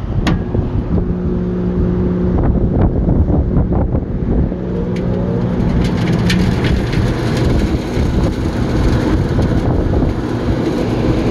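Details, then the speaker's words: CaptiveAire restaurant exhaust fan after replacing the overheated motor, variable frequency drive set mid-speed: even deep whooshing rumble of moving air, no knocks or squeals, slinging off collected grease; running normally. "and we got some air movement again slinging a lot of grease off that collected on it the day that it wasn't running"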